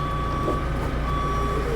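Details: Forklift unloading a replacement Jaguar F-Type SVR engine (from a 30,000-mile car): high, steady electronic beep over low diesel rumble as it reverses; normal reversing alarm.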